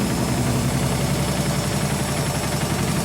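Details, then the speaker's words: German washing machine on high-speed spin after repaired dampers were fitted, with the cushions removed. It stands on four feet on linoleum, mid-bathroom, unpropped. Steady low drone with a fast rhythmic shudder: excessive vibration, side wall shaking, machine stays put. "Да, ее колбасит. Все равно колбасит."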